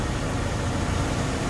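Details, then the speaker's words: Mercedes-Benz W203 C240 Elegance, about 70,000 km, cool engine after new engine mounts and parts: smooth even low rumble with no knocks, ticks or misses; normal idle. "dengar kan tadi mesinnya halus ya."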